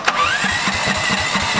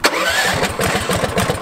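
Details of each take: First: 420cc lifted off-road go kart with homemade snorkel after driving into deep water, cranked about 20 minutes: uneven chuffing that never catches, sputters, backfires out the intake and dies; likely water ingestion. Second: 420cc lifted off-road go kart after its seized starter was treated with rust remover: even cranking about three strokes a second, then it catches and runs; starter turns freely and engine starts cleanly.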